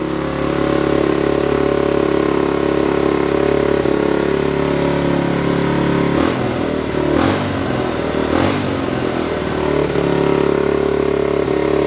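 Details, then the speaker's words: Pulse Adrenaline 125 single-cylinder motorcycle, first start after 4 years idle, rebuilt carburettor and ignition, fresh fuel: steady even putter at raised choke idle, no misses or knocks, warming up. Normal cold idle on choke. "Just let it warm up a little bit, then we can take it off the choke."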